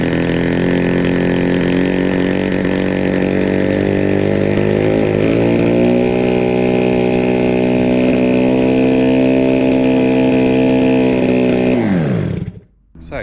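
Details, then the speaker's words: Yamaha RD350F1 two-stroke, left to rot for decades, making its first start: a lumpy, uneven burble that holds briefly, then sags and dies. Rough running from a stuck carburetor float; the plugs had been dry before. "I think we classed that as a run then my God right so it runs I just need to uh SS out the uh throttle a little bit"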